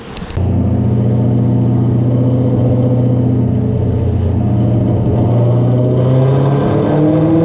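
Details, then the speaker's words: 1993 Cobra with a Coyote swap and 91mm turbo on the dyno, new spark plugs, 14 psi commanded with 9 psi made, less aggressive timing, about 668 hp. Strong, even wide-open-throttle pull climbing smoothly with no stumble or misfire: running clean. "The new plugs definitely did their job. So that last pull, it was commanded 14 psi on the dome. It made 9 psi, and power wise I think it put down 668."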